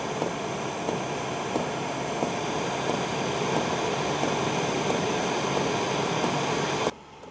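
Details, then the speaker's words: Hcalory TB2S Plus diesel heater warming up at fan speed 3: soft, even clicks roughly every two-thirds of a second under a steady fan rush, the fuel pump metering diesel normally, quieter than expected. "Okay, so it started clicking. I don't know if you can hear this or not."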